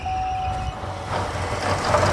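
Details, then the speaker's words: 2014 Buick Encore 1.4 L turbo petrol running rough at idle with a lumpy beat and a brief high whistle and squeal; lean code P0171, excess crankcase vacuum from a faulty crankcase ventilation (PCV) system. "so it's got a problem with this crank case ventilation system you see how much vacuum it's building in the crank case"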